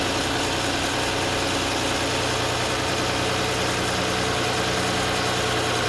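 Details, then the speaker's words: 2014 Chevrolet Silverado 4.3 after a crank-no-start: a couple of gallons of gas were added although the gauge showed just under a quarter tank, and it now idles steadily and evenly. The engine had run out of fuel; the fuel level sender is suspected inaccurate. "showing just under a quarter of a tank now so I'm pretty sure it was out of gas and that fuel gauge is reading incorrectly"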